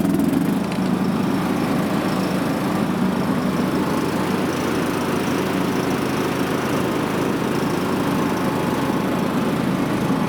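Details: John Deere riding mower after deck repair and new deck belt and idler pulleys, started to test: small engine holds a steady, even drone with no knocking, squealing or surging; normal running.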